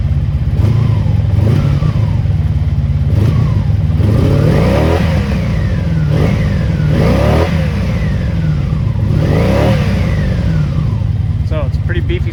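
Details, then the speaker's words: 1983 Honda Magna V45 VF750C V4, 6-speed, revived after sitting: idle in neutral with about five quick throttle blips rising cleanly and falling smoothly; healthy free revving. "bike uh sounds really good especially when you're when you're really getting on it um revs to 10,000"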